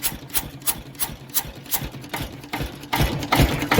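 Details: Lister CS stationary diesel, first start in years, revved on high compression: slow, even thumping about two and a half beats a second, rising and louder near the end; normal running.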